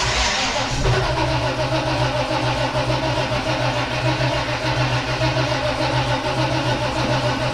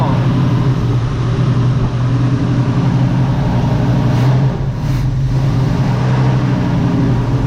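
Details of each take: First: 1969 Chevrolet Nova: even starter cranking about two turns per second for eleven seconds with no firing; carburetor not squirting fuel, owner waiting for fuel to be pulled up, dislikes the starter. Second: 1969 Chevrolet Nova V8 at idle; a smooth, even, deep burble, much quieter than before with no ticking or tapping at all; normal idle.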